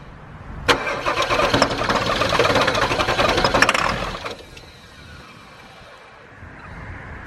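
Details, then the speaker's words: 1997 Ford F250 7.3 diesel, long-sitting, fuel fed direct with filter tube off: starter grinds over evenly about three and a half seconds, never catches, then drops off; cranks but won't fire, batteries running low. "We're so close. We had it knocking and banging a little bit. I can smell the diesel. I know it wants to go."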